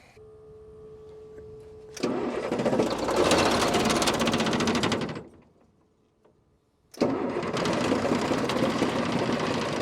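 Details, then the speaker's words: Deuce-and-a-half military truck, chilly morning: two long bursts of steady cranking, about four turns a second, never catching. No fuel is being delivered; an unsealed in-tank fuel pump or pickup cover (screws missing) is suspected. "ain't getting no fuel out there is it no"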